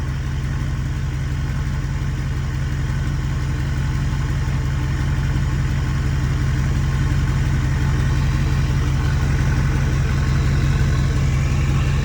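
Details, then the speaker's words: Ford F350 6.4 Powerstroke diesel with new billet-wheel turbos, not yet warm enough for hot idle, idling smoothly at about 780–790 rpm; steady low rumble with only a faint turbo hiss; healthy. "Now, what's crazy is like I could barely hear the turbo. Kind of sucks. I mean, I thought these turbos would be loud."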